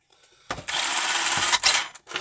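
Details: Tamiya DT02 Holiday Buggy with newly fitted Speed Passion 7.5 brushless motor and replacement ESC, replacing a dead ESC, tested on the bench: short bursts of high, airy electric whirring as the motor spins freely, smooth with no rough noise; normal running.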